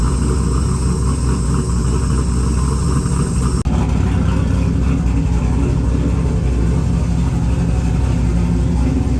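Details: Engine freshly converted from carburettor to Holley EFI, first start: after the idle screw was turned up a turn or two it fired without throttle (no throttle cable fitted) and holds a steady, even low idle with no misses or knocks.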